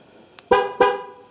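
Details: Ford Focus 3 after a rear door replacement, locking the car to test the sensor door lock: a faint click, then two short, sharp horn toots; this is the normal chirp confirming the car has locked.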